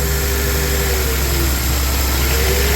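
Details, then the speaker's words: 2004 Honda Accord idling rough and lumpy with a hard miss on one cylinder, after it ran rough and would not start; the misfiring cylinder is being located. "She's still rough. She's still rough, but she's running. A hard miss."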